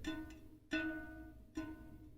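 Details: Ribble R872 road bike, Chinese 50mm carbon rear wheel, existing spoke plucked after broken spoke replaced: three clean plucks ringing a clear high note that fades quickly; properly tensioned spoke tone.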